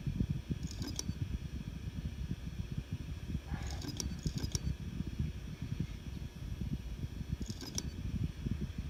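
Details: Seagate Barracuda Pro 8 TB hard drive making sharp metallic clicks, often doubled, every three to four seconds over a low steady whir, like scissors closing or metal on metal; Seagate confirmed the sound should not be there.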